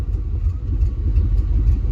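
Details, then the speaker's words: 1994 Chevy K1500 with a crank-no-start (compression, fuel and spark present, suspected overfueling) now idles with a low, even rumble and stays running after the engine coolant temperature sensor was replaced; timing not yet set. "after that, I mean, she's she she's running and she's staying on."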